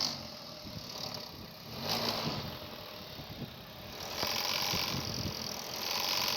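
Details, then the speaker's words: Running engine with an uneven light rattle and chatter from the front belt drive: the alternator's aluminium overrunning pulley, with its rubber-and-aluminium clutch, has broken and wobbles. It makes the noise and needs replacing. "الديفو كونها هذه تكسرت، ريتوها البولي هذه خاطر هي بولي يعني منيوم، وفي وسطها كيلومبرياج يعني كاوتشو والمنيوم، هي هذه تكسرت، هي اللي عامله الصوت."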